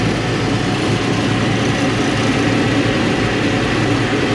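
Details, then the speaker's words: 1968 Mustang with swapped Fox Body fuel-injected 5.0L V8 and glass pack exhaust, in park, after fixing stalling by bypassing 1968 resistor wire for full 12 V; timing and idle not yet set: steady V8 rumble, low burble, no stumbling; now stays running. "Haven't thrown a belt yet. It's running. Oh yeah, there we go. Yo, glass packs don't sound too bad on there."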